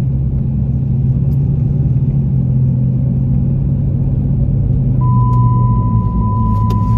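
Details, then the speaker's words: 2006 Dodge Charger R/T while driving: steady, loud low hum at one pitch, louder at 60–70 mph, that stops when steering slightly left. The owner suspects power steering and flushed the fluid; source unconfirmed. "so there's the humming noise and when i'm on the freeway and i'm going 60 to 70 it's even louder"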